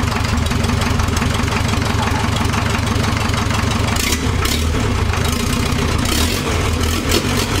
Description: Starting the old Land Rover 2,25 Diesel for the first time in a decade.